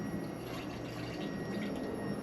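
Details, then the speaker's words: Fuel pump on newly built LS engine in "Problem Child", powered by touching its wire to positive before first fire: steady pump hum with liquid sloshing and gurgling through lines; pump priming normally, no leak. "Oh, it sounds like it's primed. And I really thought it was leaking there because you hear all it sloshing around and everything."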